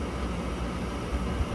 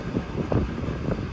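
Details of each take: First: Rooftop gas package unit furnace on a no-heat call: inducer runs, pressure switch closes, gas valve opens, but no spark; steady inducer whir with no ignition snapping. Cause: faulty transformer on control board. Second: Rooftop package-unit furnace that had no spark. After repairing the control board whose transformer had died, with R jumped to W, sharp spark ticks come about every half second over a low burner rumble, then ignition catches; the igniter now sparks properly.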